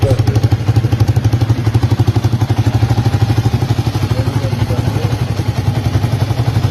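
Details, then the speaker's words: 1982 Honda XL250R single, kick-started after service work (engine noise blamed on fixed parts, fresh oil): even steady thump about four beats a second over deep exhaust, no ticking or rattle; engine healthy. "As you can see, the engine is it's actually really healthy, so the extra noise was coming from those parts we fixed."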